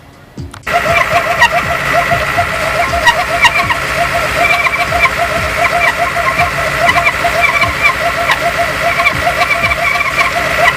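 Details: Brand-new Ford 351W V8 with about 500 miles fires up and runs with a rapid, rhythmic high chirping squeak and scraping noise from the rear main seal.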